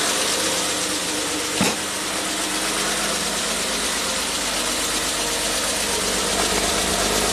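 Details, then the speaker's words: 1967 Triumph GT6 with twin Stromberg carbs, parked since 1999, on fresh ethanol-free fuel, warmed on a little choke then idle lowered: steady, even idle with a smooth low rumble, running cleanly on its own. Normal idle. "Alright, let's lower the idle down a little bit. It's idling on its own. Beautiful."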